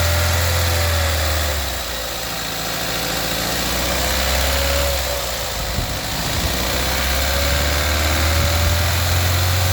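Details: VW 1.4 TSI CAXA petrol engine idling: a steady light clicking rattle throughout, then a rough idle, from a broken timing chain guide and skipped chain teeth; the timing chain set and oil pump were replaced afterwards.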